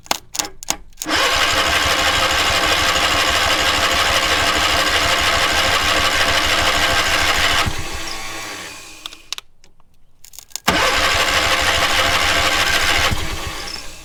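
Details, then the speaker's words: Pressure-lubricated engine on a trailer-mounted cherry picker man lift, water in the crankcase oil: two long bursts of fast even starter churning with a pause; cranks but will not start. "I would think it would have by now. That's quite a bit of cranking."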